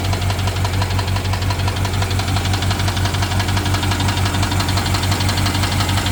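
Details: BMW 750Li N63 V8 at idle after fuel injectors and high-pressure fuel pump were replaced: fast, steady metallic ticking over slightly uneven, lumpy idle; misfire and tick, owner suspects timing chain, unconfirmed.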